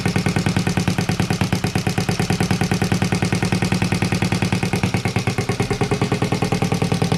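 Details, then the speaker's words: Honda Z50A Monkey bike on a CR70 stator with the original flywheel, warming up after first start with the manifold disconnected from the silencer: sharp, even popping at a quick idle, about eleven pulses a second, no misses, running cleanly. "wow finally well we managed to get it to work and it sounds pretty cool as well in the uh as you can tell the uh manifold isn't connected to the silencer i just wanted to see what it sounds like without it"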